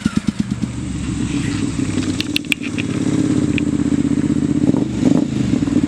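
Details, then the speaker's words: 2005 Triumph Bonneville America twin, first start on choke after seven years stored: uneven, lumpy beat with irregular popping and stumbles under blips; idle possibly set low, seems to be firing on one cylinder, suspected, needs tuning. "maybe the idle set a little low i didn't really mess with that [Music] almost sounds like it's hitting that one [Music] cylinder"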